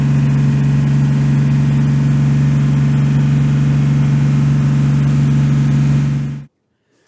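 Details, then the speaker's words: Jeep TJ revived after 15 years of sitting, with new alternator, serpentine belt, fresh coolant and oil, warmed up with thermostat open: smooth, even idle with a strong steady low hum, no misses or knocks until shut off; running fine. "Everything's running great."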